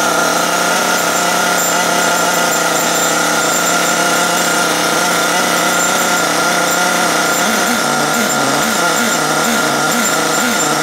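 Loud, steady buzzing run with constant speed and only a slight wavering toward the end; the small engine is running fine.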